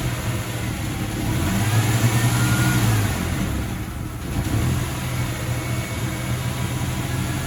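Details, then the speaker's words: 1995 Ford Ranger 4.0, manual, RWD, just after a fuel filter change: starts but idles unevenly, wavering and surging; owner suspects the idle valve, cleaning didn't help, worse on hot restart. "Yep. It starts. But it's it's rough, huh? Don't you think? I think I have a problem with my idle valve."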